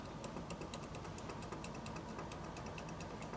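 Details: Kia Picanto with the steering wheel turned: light, quick knocking taps over low idle rumble; cause traced to play inside the steering rack, requiring subframe lowering and rack repair.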